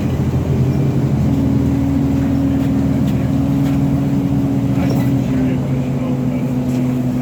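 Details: TTC Orion VII NG diesel-electric hybrid bus: steady low weird buzz holding its pitch over the running noise; abnormal buzz, source not pinned down.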